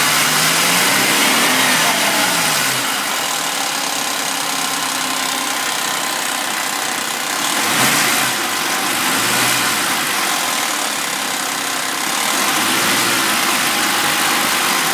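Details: Suzuki Vitara V6, warm start: steady high-pitched rattle and hiss at idle that doesn't worsen, even quietens, with brief revs; owner suspects worn timing chains and tensioners.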